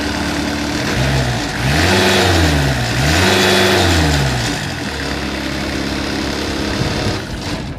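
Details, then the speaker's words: 2007 Finn B70RHD straw blower, Kubota V1505 4-cylinder diesel, 617 hours, just fully serviced: diesel rises smoothly through two rev sweeps and settles to an even steady run, no knock or miss; runs excellent. "Engine runs excellent."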